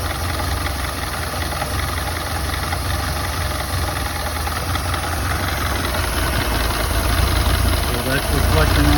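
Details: Model A engine at idle: a low, lumpy idle with an uneven beat as some firing strokes drop out; the old four-cylinder is missing at idle.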